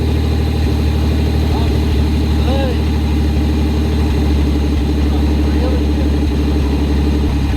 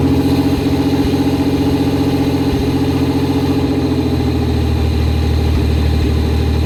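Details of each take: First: Pontiac Fiero barn find, engine torn down to the V and reassembled, first start after fixing a leaking fuel injector O-ring: steady, even low idle rumble with no misses, knocks or ticks; normal, healthy idle. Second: Barn-find Fiero first start after teardown, cold-start injector leak stopped with doubled O-rings: engine fires and idles lumpy with a wavering beat and uneven loping instead of a steady hum; running rough, cause not confirmed.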